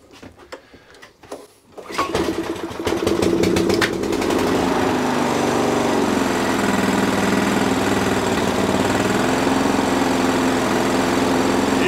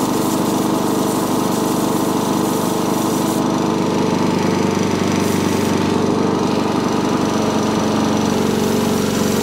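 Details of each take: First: Small Sovereign lawnmower engine after a simple fix; pull start, then a steady, even run at fairly modest revs with no hunting or surging, running fine. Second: Sovereign lawnmower engine with dislodged governor spring, still not revving high after carb cleaning; steady but lazy running, beat stays low and never reaches full cutting speed.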